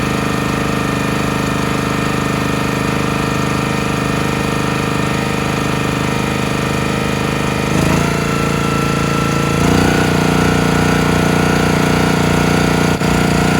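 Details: CountyLine 25-ton log splitter engine, carburetor cleaned and jets cleared, fuel tank cleaned. Steady drone, then dips, surges and misses as it takes splitting load, stalling. Owner suspects the carburetor not keeping fuel flowing, possibly mixed-up gaskets; cause unclear.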